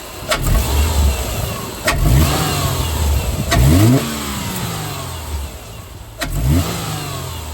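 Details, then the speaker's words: 2008 Subaru Legacy 2.5 manual after Cosmo Racing cold air intake install: catches cleanly, revs rise and fall smoothly with a deep even note, no misses or knocks; healthy running. "She's in um about to give it a couple couple revs so we can see what she sounds like."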